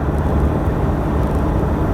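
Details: Cold 2013 Toyota Hilux Vigo diesel, about a minute after start-up, driving on and off the throttle with the window down: an even drone with no clatter or knock, normal healthy running.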